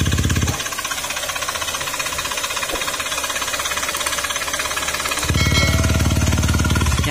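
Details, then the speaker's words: Honda Beat FI combi-brake scooter with GBT pipe, noisy "kuliglig" engine; cylinder block freshly replaced elsewhere but crankshaft not: heavy rapid knocking at idle, nearly four beats a second, from the bottom end; worn crankshaft bearing. "Issue nito mga sir sa makina, maingay, tunog kuliglig."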